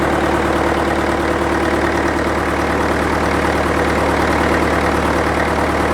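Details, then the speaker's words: International Harvester 554 diesel tractor after about five years sitting, air filter cover off: steady, even idle clatter with induction noise, no misses or knocks; runs clean with little smoke, owner suspects glazing; loose water pump belt. "it's running pretty clean starting to starting to Chum a bit out now but it's just magnificent it sounds great I've got the cover off the air Fielder so you can hear a bit of induction noise"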